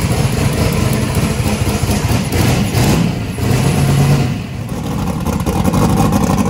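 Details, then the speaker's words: Chris's truck V8 just converted from gasoline to methanol, with new belt-driven fuel pump, restarted warm after idling about 4.7 air/fuel ratio: deep lumpy rumble with mechanical clatter, picks up with throttle and settles, no miss; runs normally, injector O-ring leak found afterward. "all right we got fire in the hole good job Brian and Chris and that think ranks right up when it's warm"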